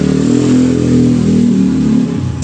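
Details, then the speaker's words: Spin dryer, freewheel checked first: loud steady hum with no spin-up, so the fault is the motor rather than the capacitor. "Ayan, ayaw umikot. May ugong pa rin. Ayaw umikot. So ibig sabihin motor na yung problema."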